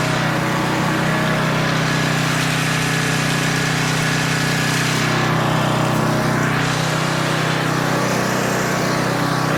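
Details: Older 10 hp Tecumseh 4,000 W generator under a 1,500 W load, running at about 62.4 Hz: constant, even drone with steady pitch, no dip, sag or hunting; normal governed run under load, speed slightly high.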